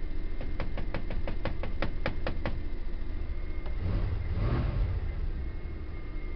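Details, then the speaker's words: 1984 Dodge van cold start, barely on throttle: sharp regular knocks about 3.5 per second over low rumble, then revs, like knocking on a door; source unknown, oil gauge stuck, oil pressure building. "Man, these old Chrysler made vehicles are pretty powerful. It sounds like I'm knocking on the door of somebody's"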